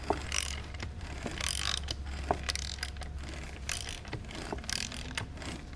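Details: Yamaha R6 engine with irregular light clacks and rattles over a steady low hum; the noise stops when the clutch basket is removed, pointing to clutch basket knocking.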